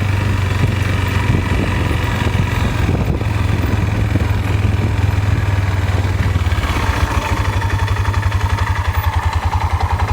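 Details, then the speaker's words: Four-wheeler idling with a steady, low, even thump and no misses; rated idle is 1100 rpm but it sounds slower to the owner; it still shifts fine; slow idle. "there doesn't sound like it's idling that fast to me but it said they're idling at 1100 rpm sounds like it's slower than that"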